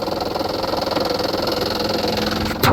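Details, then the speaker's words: 2007 Kia Sportage, 169,000 miles, timing belt replaced in 2020 at 139,000 miles: rapid steady ticking chatter over a rough idle, then a clunk at shutdown; noise attributed to an idler pulley, much worse at idle than when driving. "you won't hear that noise it's really bad right now um it sounds really bad but it's not nearly as bad when you're driving um because it's an idler pulley it's when you're idling"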